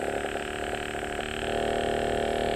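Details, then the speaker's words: Inverter compressor driven by a PCB drive board, demonstration: hum starts slow, pauses, then automatically steps up through speeds to top speed, tone lifting and firming; normal variable-speed ramp. "இத அப்படியே பார்த்துக்கிட்டே இருந்தீங்கன்னா first ஸ்லோவா ஓடும். அதுக்கப்புறம் கொஞ்ச நேரம் நிண்டு ஆட்டோமேட்டிக்கா ஸ்பீட் வேரியேஷன் ஆகும் பாருங்க."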